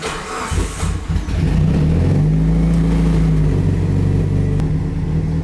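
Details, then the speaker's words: Fully built Evo 9 on its first drive after over two years on jack stands, warming up before driving: cranks, catches quickly, flares then settles to a smooth steady idle with no ticks or misfires. "So he says the car runs perfect, idles perfect."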